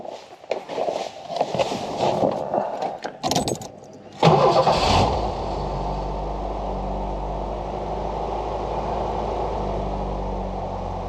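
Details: Foxbody Mustang 4-cylinder, after fuel injectors were rebuilt, a new exhaust fitted and an IAC reset done: fires up and settles into a smooth, steady, even idle with no misses or knocks.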